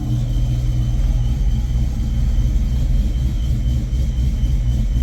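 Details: Supercharged 1995 Mustang GT (Paxton Novi 2000 at 8 psi, GT40 heads, roller cam, long tubes) warm after about 20 minutes of running on fresh 20W50 VR1 plus Lucas. Oil pressure is now about 20 psi at idle, up from 10–12. Deep, steady, even idle; normal.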